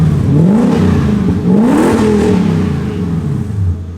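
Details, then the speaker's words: Lexus LS400 1UZ V8 after a new exhaust section was welded on to cure excessive loudness, heard from outside the car: a deep, smooth rumble rising and falling cleanly with throttle, no rasp or leak ticking. Much quieter and sealed. "So much better. One step at a time, checking them off the list as we go down. We're getting there. You guys remember how loud this thing used to be? Oh, that is so refreshing."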